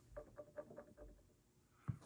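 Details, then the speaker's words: Used Linn LP12 turntable being bounce-tested: the suspension jiggles and wobbles instead of bouncing straight, with a quick run of faint high squeaks about five per second, then a soft thump; suspension springs squeak and need redoing. "it's a mess I'll be quiet you can actually hear the spring squeak"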